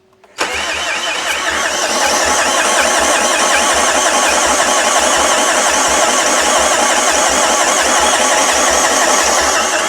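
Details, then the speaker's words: Long-parked non-running Renault Master van: even, fast cranking at about four beats a second for ten seconds and it won't fire even on brake cleaner. Low or no compression is suspected and the head may have been off before; not confirmed. "I don't I don't think that's got any compression of any sort by the sound of it. The fact it ain't firing on brake cleaner means this is not very healthy, doesn't it?"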